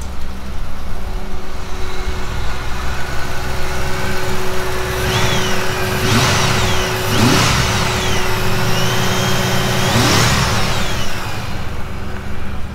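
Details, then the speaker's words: Newly acquired, previously dismantled engine, temporarily rigged up and first started: steady idle then four or five quick throttle blips rising and falling cleanly, no rattles or knocks; some smoke, healthy motor. "it lives motor sounds good there's no rattles or kns or anything there's um some exhaust leaks and stuff to sort out"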